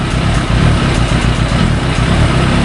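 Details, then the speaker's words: Yamaha YZF1000 Thunderace four-cylinder, misfire only when hot: once warmed up the idle stumbles as one cylinder drops in and out; faint ticking from the EXUP valve chattering during misfires; pilot jet was suspected; intermittent misfire. "so as it warms up it uh you'll find that we'll get a mess cuz it's not quite up to temperature yet there it is guys took a while to happen actually"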